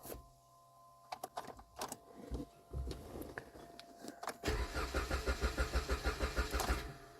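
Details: 2010 Jeep Compass no-start, before repair; fuel pump heard and fuel system lean code reported: a few clicks and thumps, then a steady starter crank at about three pulses a second that never catches.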